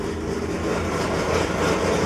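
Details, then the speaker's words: Datsun 240Z cold start after a couple weeks sitting, about 80°F and humid, choke on: steady even low rumble with slightly raised fast idle, no knocks or misses; normal cold idle on choke. "and just for the hell of it won't go ahead and do a cold start I cannot remember the last time I started this girl it's been a couple weeks"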